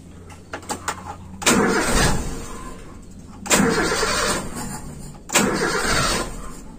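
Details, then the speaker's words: Toyota Kijang Super carburetor with idle jet deliberately made smaller (second air bleed unchanged) to simulate a lean idle mixture; engine cranks and catches in three short bursts that fade out, hard to start, needing higher idle speed. "Nah, itu agak susah hidupnya, Teman-teman. Dan itu perlu lebih saya naikkan. putaran stasionernya lebih tinggi."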